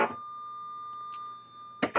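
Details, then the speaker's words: U.S. military AN/UGC-74B communications terminal dot-matrix printer, 120 V, at power-on: steady high electronic tone from the corner speaker amid bursts of clatter; carriage-fault alarm because the print head carriage won't move, fault appears electrical. "And then you might have heard a beep, a tone there, and that's a speaker that's over in this corner. That's the alarm because it's detecting that this isn't moving at all."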